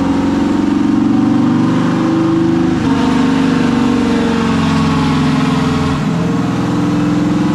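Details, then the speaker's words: Junkyard 6.0 V8 (swapped in for a burned-up 5.3, bearings checked) on a dyno pull at wide open throttle after a tune-in: strong steady roar at high revs, tapped rev limiter, no knocks, ticks or rattles; healthy. "but it tapped rev limiter so sounding good man not making any noises motor's running"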